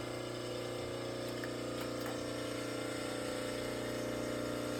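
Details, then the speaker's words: General 340 drill press motor run with the belt off, testing for rattle: smooth, steady electric motor hum, constant pitch, little noise or vibration, long coast-down; motor healthy, rattle suspected from belt covers. "Seems pretty quiet on there, but no much noise or vibration."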